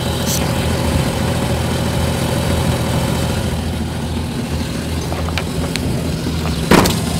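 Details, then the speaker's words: Jeep Cherokee (1993–98) after fixing a flexplate ring-gear noise by gluing the bolts with threadlocker: steady, even idle with a smooth low rumble and no tick or rattle from the flexplate end; normal idle after repair. "hace su ritmo normal del motor después de hacer el trato tranca escucha miento"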